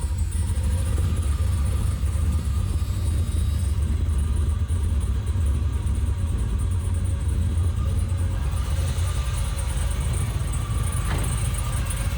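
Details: 6.0 V8 swapped into a Camaro, first start after the swap: deep, steady rumble holding an even beat with no misses or stumbles. Normal idle.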